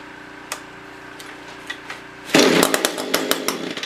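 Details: SRM-210 trimmer after carb kit, new spark plug and oil down the cylinder, primed: quiet ticking, then the two-stroke fires on the pull and buzzes raggedly as it catches; normal running.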